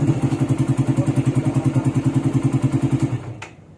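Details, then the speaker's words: Suzuki Satria FU single-cylinder motorcycle started right after an oil change: idles with an even, steady putter of about three beats a second, then cuts off cleanly; sounds healthy. "Oke, oli sudah beres. Sekarang kita coba nyalain Satria FU. Kita coba nyalain."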